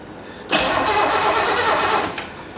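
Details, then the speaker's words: 1969 Mercedes donor car being checked to see if its engine is good: about 1.5 seconds of steady starter whirr that sounds healthy but never fires. The coil spark test shows no light, the points are not yet serviced, and it cranks with no spark. "You know, that sounds healthy to me. That really does. I don't know if she's getting any spark. We need to check for spark."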